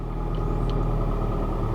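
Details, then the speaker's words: Mazda Miata (Skyactiv) at first start after sitting at auction: idle sounded really bad at first, then cleaned up into a deep, steady low rumble with no stumbles; exhaust resonator appears deleted; cause of initial roughness unknown. "that's bizarre it sounded really bad and then it seemed like it cleaned up"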